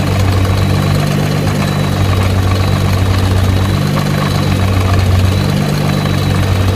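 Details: Nissan GT-R at idle: deep steady idle with a loose, uneven rattle underneath; suspected drive shaft rattle, not confirmed.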